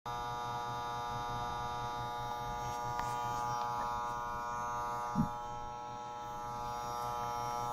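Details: Desktop PC with a steady, constant-pitch electrical buzz, not a fan (all fans were stopped without change). It started about a month after a power supply replacement, seems to come from the CPU area, and the PC freezes before fully loading. Cause unknown.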